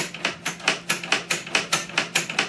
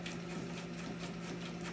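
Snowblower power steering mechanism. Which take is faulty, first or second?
first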